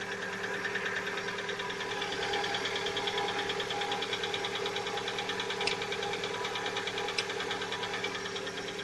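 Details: Lada Vesta at 70,000 km, cold start: rapid, even light knocking about three per second over the idle. The owner calls it piston knock, not hydraulic lifters. It knocks for one to two minutes, then quiets, and appeared only recently; the oil had been changed to the same oil.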